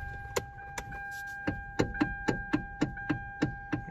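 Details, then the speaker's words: Hyundai Veloster: sharp clicks three to four times a second as the steering wheel turns, caused by a worn flexible steering coupler low in the column; common Hyundai/Kia fault, fixed by replacing the coupler. "noise so that's caused by down in here there's a coupler that's going bad"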